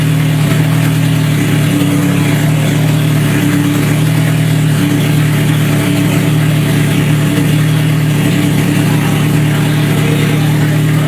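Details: Scion FR-S with a freshly rebuilt 3SGE engine swap, just after its first start: low, steady idle with an even drone and no knocks or misses; the engine settles and runs cleanly.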